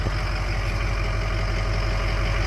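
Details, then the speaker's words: 2004 Ford F-350 diesel after crank-no-start fixed by replacing both fuel filters, batteries low: smooth even diesel clatter at steady idle, no misses or knocks; normal idle. "well and obviously that's what the problem was because she runs like a top now"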